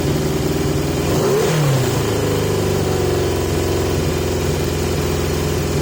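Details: 1980 Yamaha XJ650 motorcycle with pod air filters partly masked with tape to restrict airflow: idle with a quick rev blip, then the beat wanders and never settles. Erratic idle, cause suspected, not confirmed.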